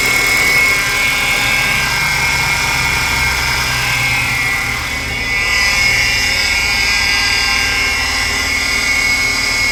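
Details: 2012 Ford Fusion, engine running: steady high-pitched whine and squeal that barely changes; worn poly-V serpentine belt pulleys need replacing, and replacing the belt too is advised.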